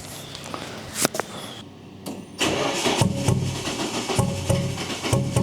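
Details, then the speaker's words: Nissan 240SX with a 3" ISR straight-pipe exhaust and a newly installed resonator: the starter cranks, then the engine settles into a loud but even, rumbly idle with a steady exhaust pulse, quieter than before. Normal idle. "Just at idle, this thing sounds a lot quieter. Hopefully when I'm driving around town it won't be so loud and obnoxious,"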